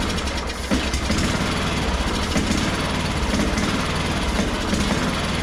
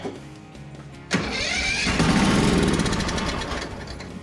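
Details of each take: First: Craftsman ZTS7500 zero-turn, Kohler Courage engine, after adjusting a very loose valve: steady, even single-cylinder chug at fast idle with no misses or knocks; healthy, owner thinks carburetor may just need cleaning. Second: Craftsman ZTS7500 zero-turn with Kohler Courage engine, first start on starting spray after valve lash adjustment: loud, uneven running with a metallic rattle over the firing beat; loose rattle, source suspected but not confirmed.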